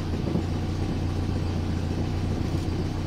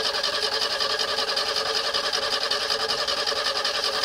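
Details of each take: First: 1970 Renault R6 revived after barn storage, at idle. Low, even exhaust puffing with audible exhaust noise judged normal; a few small misfires follow, and the spark plugs are due for checking and replacement. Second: 1970 Renault R6 barn find being recommissioned: even starter churn at about 2.5 beats a second, but the engine never catches despite fuel pressure, air and starting spray. Distributor cap cleaned without success and 12 V confirmed at the coil; ignition fault suspected.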